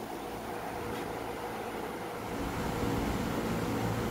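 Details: 460 V single-phase, quarter-horsepower rooftop condenser fan running during troubleshooting with the relay terminals swapped: a steady, even whoosh with a low hum and no knocking or scraping; the fan runs normally here.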